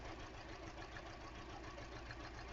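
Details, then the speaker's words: 2013 Hyundai Elantra with a flashing check engine light, after two new plugs were fitted and coils reinstalled: quiet idle that stumbles and shakes unevenly, still clearly misfiring; cylinder 3 later suspected. "Let me start the car. See what happens. Okay, still misfiring, no doubt about it. Definitely misfiring."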